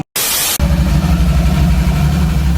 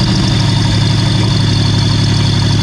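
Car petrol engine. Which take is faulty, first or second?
first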